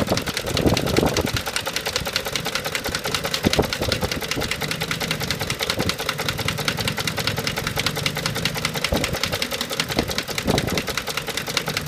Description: This knocking/shaking is intermittent at idle. I have no idea what causes it. But it will happen when the car is warm.